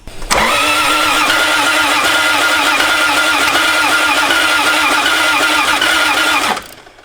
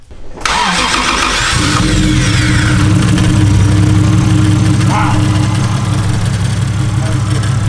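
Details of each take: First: Toyota 1JZ VVTi swap, first start attempt: steady starter churn with even pulses about four a second for six seconds, never catches; cranks but won't start, ECU voltage drop suspected, extra grounds added. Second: Toyota 1JZ VVT-i swap first start after hours of no-start: quick crank, then catches and settles into a steady, even idle with no misfire; fault was missing springs between coils and boots reaching the spark plugs.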